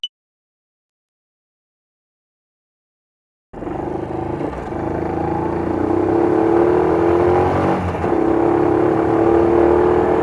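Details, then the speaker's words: Honda Little Cub 88cc single: fast even clatter with thin rising tone on revs, dragging and clacking sound often above 35 km/h, recurring since last year despite prior chain replacement; cause unclear. "On dirait que ça traîne... et un bruit de claquement... Vous l'entendez, ce bruit, hein ? Ces bruits apparaissent souvent quand je roule à 35 km/h ou plus..."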